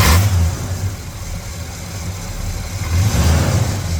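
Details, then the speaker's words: 1969 Oldsmobile Cutlass 442 tribute with a rebuilt 455 big-block V8 said to come from a '71 Cutlass, automatic with a rebuilt transmission, electric choke working: catches quickly, deep even idle, clean rev. A normal, healthy start. "And the electric choke does function. Works just as it is supposed to."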